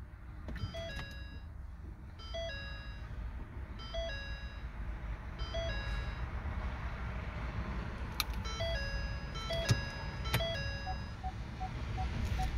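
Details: 2013 Ford C-Max hybrid with replaced gasoline engine that had a no-start (P0B25 EV low voltage), after high-voltage battery charged and disconnect properly locked: repeating bright dash chimes over low cabin rumble as it comes to ready; normal startup tones, car then drives.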